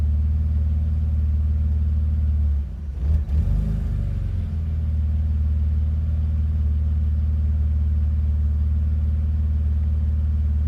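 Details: BMW Z3, cold engine: deep low idle with an uneven, lumpy beat and a brief stumble; rough cold idle, cause unclear.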